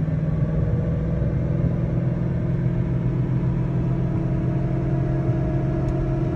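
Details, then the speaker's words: 2011 Mustang GT with a Roush Phase 1 supercharger, while driving: a deep, steady roar from the rear end, possibly the middle; worn bearings in the differential, rear end being replaced. "that was coming from the rear end could have also possibly been from the middle"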